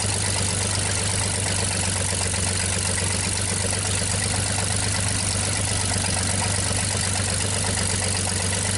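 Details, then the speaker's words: 1960 GMC 305 cubic inch V6, first start after sitting: steady, even idle with smooth low beat, no misses, knocks or smoke; normal idle. "sounds awfully good to me no smoke at all"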